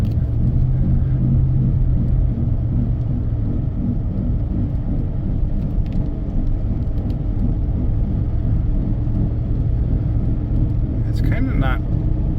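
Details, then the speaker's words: 2001 Chevy Suburban 4x4 while driving: a steady low crunchy "grunch" growl under road rumble that holds with road speed and changes slightly turning left to right; suspected worn front wheel hub bearing. "oh actually actually now it's kind of changed to a grunch grunch grunch noise I like that street there"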